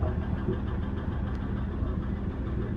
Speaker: oh and let's go in here fire it up she is noisy during when when she's cold